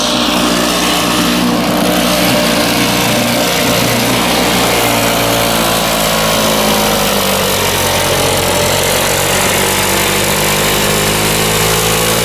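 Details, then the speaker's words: Circa-1980 Flymo two-stroke lawnmower, unused about 10-20 years, after carb cleaning: steady even high-pitched buzz with no misses, stalls or surging; running smoothly. "Just brought it home, cleaned the carb, and it runs pretty good."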